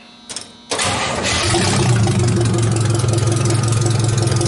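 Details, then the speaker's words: Cold start, not run all weekend and no gas pumped, of a supercharged 2.5-liter MerCruiser four-cylinder in a Briggs body T-bucket: brief crank, then it catches instantly into a steady, even idle with no misses; air-ride compressor audible at rear. "That thing runs awesome. Didn't even pump it, didn't do anything, just fires right up."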